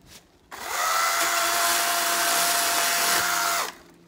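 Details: Battery-powered chainsaw cutting dead tree branches: the motor winds up to a steady whine, a harsh, slow cut lasts about three seconds, then it spins down; the chain is dull and not biting cleanly.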